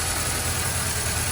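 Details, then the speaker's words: 2001 Ford Ranger 2.3 L with code P0171 (too lean): low, slightly uneven rough idle with a steady hiss from a large vacuum leak, traced to the intake manifold rather than the throttle body. "so we have a leak um eva lick so and the car is running really rough so let me show so as you can hear and see we got a a large invade league"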